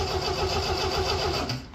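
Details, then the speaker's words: 1975 MGB project: has spark, even rhythmic cranking with no firing; fuel pump heard trying but no fuel reaching the filter, so it cranks but won't start. "the only thing we don't seem to have is gas there's no gas coming in the filter you come back here well I can hear the pump trying but I don't think it has any gas to try with"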